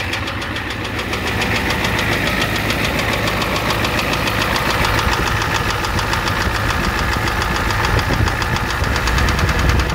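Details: 1988 Ford F250 7.3L IDI diesel idling rough with hard rapid knock about three times a second; high-pressure fuel line leak, white/gray exhaust smoke, smoke from dipstick, oil in add zone; cause unconfirmed. Diesel knock at idle.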